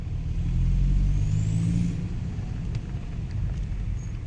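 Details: Saab 9-5 Turbo pulling hard in second gear at low speed in snow, loud rising whistle and whoosh as boost builds; owner first suspected a failed front flex joint; cause was a loose downpipe, fixed by re-tightening the nuts.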